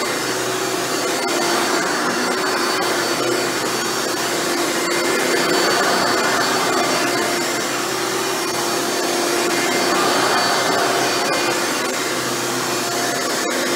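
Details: Hoover Elite upright vacuum test run after a motor rebuild with new motor bearings: steady, even motor roar and airy hiss with no grinding or bearing rumble, running much better than before.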